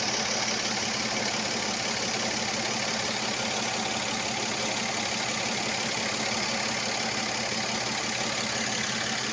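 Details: Mercedes-Benz engine after spark plug change: even idle with busy, hissy ticking chatter at a steady rate; abnormal idle noise, cause unclear.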